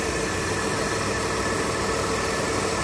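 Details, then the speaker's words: Mitsubishi Delica V6 after camshaft seal replacement, running smooth without leaks: steady idle with a hissing, faintly whirring note; source unclear, owner suspects power steering air but found no bubbles; unidentified noise at idle. "there is that heating noise that i don't know is coming from and i don't know if that was normal it sounds like air on the power steering but i have checked and it seems fine no bubbles coming out of it but it is around here"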